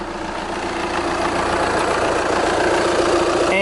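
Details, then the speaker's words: VW Golf/Jetta TDI diesel idling after a fuel filter change and fuel system bleeding: steady even clatter with no knocking, squeal or metal-on-metal noise; normal diesel idle. "nope, we're good, guys. No leaks, nothing, no weird noises, no metal on metal, weird sounds, anything."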